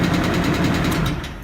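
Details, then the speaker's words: Chevy S-10 that had been towed in, now running after fuel fixes and a new water pump: a sharp, regular metallic knock at roughly eight per second over the idle. Internal engine knock, source not yet found; the heads may come off. "Literally the key, but listen to that knock. Nothing like a GM knock."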